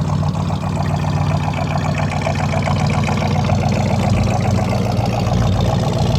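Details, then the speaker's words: 1974 Buick Century Luxus V8 idling while parked. Deep, even burble with a steady, smooth firing beat and no knocks or misses. Normal idle. "I'll walk around it with it idling, and then I'll shut it off."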